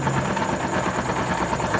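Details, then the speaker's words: Honda Pop 110i engine: dry, rapid, evenly spaced knocking over a busy idle, as if running without oil, something chewing inside; connecting rod knock. "Olha o barulho. Barulho seco, como se estivesse rodando sem óleo. Como se fosse alguma coisa se roendo, se mastigando dentro."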